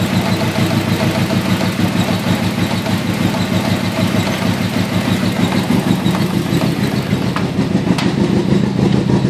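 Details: Nissan CA18DET: heavy, shaky, lumpy idle with uneven thumps about three a second; misfire, no change when unplugging coil two, though it has spark and fuel.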